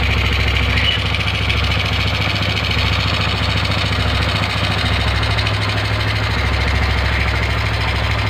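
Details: Single-cylinder motorcycle after a thorough carburetor cleaning for weak pull, hard starting and a rising-falling idle: now a steady, even idle beat with no stumbles or misses.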